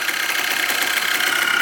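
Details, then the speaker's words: 2004 Yamaha Blaster 200cc two-stroke after fixing a stuck carburetor float, no airbox fitted: steady, even fast idle with clear hiss from the open carb intake; sounds healthy. "sounds pretty good no air box that's why you can hear the carb like that"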